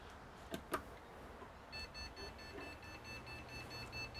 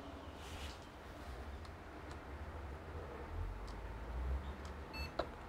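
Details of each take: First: Desktop PC on power-up: switch clicks, fan spins up, then an unbroken high continuous beep, no boot; suspected RAM fault (2×4GB DDR3 modules). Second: Desktop PC that was beeping continuously, after reseating/testing the 8GB DDR3 RAM (most common cause): fans hum steadily, then one short high beep, then boots and recognizes 8GB. Single POST beep, normal boot.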